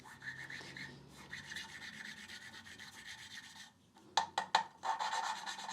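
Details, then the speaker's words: Mini Cooper S N14 cylinder head rebuild, hand-lapping a valve with grinding paste and stick: dry rasping scrub in back-and-forth strokes with taps between, loud while coarse paste cuts, quietening as valve and seat smooth. "and as we can hear it's quite loud to begin with but as you go on it will start to get quieter that is because the two surfaces are getting smooth"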